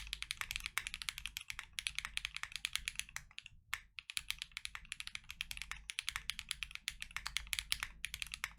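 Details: KNC Keys Tofu Linear (R2) all-nylon long-pole switches, lubed, in a Freebird60 (gummy O-ring mount, POM plate, silicone dampener, polyfil): full typing test with even, soft, deep clacks, no rattle or spring ping. Normal typing sound.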